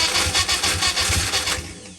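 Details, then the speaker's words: Freshly rebuilt Ian Carter 998 four-cylinder on the dyno, first start with fuel in carbs: fires and runs unevenly with a pulsing beat, then dies; sounds down on a cylinder, hopefully muck on a valve face. "Sounds like it's down in the pot there. Hopefully it's just some muck on a valve face."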